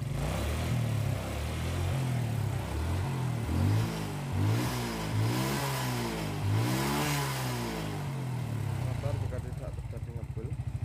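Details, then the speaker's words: Suzuki Smash after the carburetor adjustment, with the air filter refitted: steady idle that picks up cleanly on several quick throttle blips and settles back without stumbling; the earlier carb misfire is gone. "ini Langsa motor sudah bisa enak"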